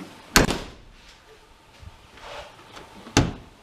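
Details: Nissan S13 240SX hatch latch after sliding the latch down to its lowest position: two sharp clunks about three seconds apart as the latch lets go and the hatch opens; release now working, noise not heard before.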